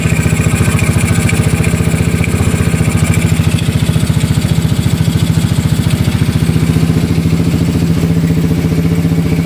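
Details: Yamaha Mio Soulty scooter with 59mm block, previously hard-starting with carburetor overflow: steady, even idle about three and a half pulses a second, no misses or knocking.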